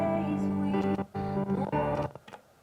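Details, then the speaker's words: Mackie Big Knob Studio monitor controller with the source switch pressed in: the music cuts out abruptly several times, then goes silent, as the dirty switch contact drops the signal. "The switch is in, but the sound went on off. Look at that. It's in. No sound."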